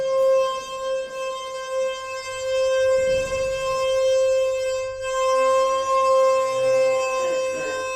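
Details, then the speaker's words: Inside the DMG-fitted modernised lift at Metrocentre coach park, car travelling up: piercing, steady siren-like squeal almost the whole ride, far worse than its earlier slight squeak; condition has declined, likely left unrepaired pending replacement. "That is so loud. It sounds like an alarm almost."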